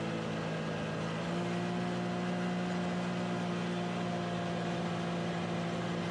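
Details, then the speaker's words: 2019 Can-Am Maverick X3 XRS Turbo R running under load after a new drive belt: steady, even drone, pulls cleanly; worn belt had caused limp mode with misfire codes P0301, P0302, P0303, now fixed. "all right that looks fixed super happy all it costs took was a belt goodness gracious"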